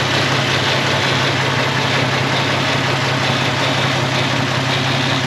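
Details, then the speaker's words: 1946 Studebaker M5 pickup with AMC 258, cold start on a 70-degree spring day: slightly uneven, lumpy cold idle; the owner blames a cold-blooded carburetor. "You can see, like I said, that carburetor's off stumbly. I ran it that way last year. It's super cold-blooded."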